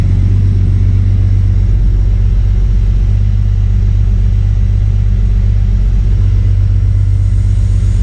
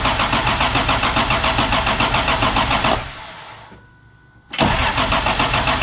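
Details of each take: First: MK3 Toyota Supra after the Crispics igniter-ground mod and with the igniter now plugged in properly, previously not firing: steady, even low rumble with no misses or stumbles, idling much smoother and calmer than before; sounds healthy. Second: Toyota MK3 Supra 7M just after the Crispics igniter ground mod: steady, even cranking at about three to four turns a second, a pause, then cranking again, never firing; crank no-start, cause suspected, not confirmed.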